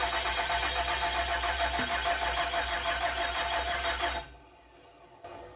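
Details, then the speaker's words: 2007 truck with 6.7 diesel swap, first fire attempt: steady fast starter churn with even compression pulses slowing as voltage drops, no firing; crank no start because injector connector was unplugged. "It sounds like there's compression and it's injecting fuel. That's just the, as you hear the starter slow down, that's the voltage dropping."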